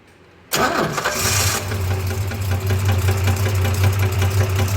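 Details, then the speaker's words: 1965 Chrysler Valiant AP6 run with the flywheel/clutch cover removed: a rough idle with a dull, uneven knock low in the block that persists; owner suspects the conrod bearings. "Okay. No, we still got a knot. So, that's uh Yeah. I still got a feeling it's the um possibly conrod bearings."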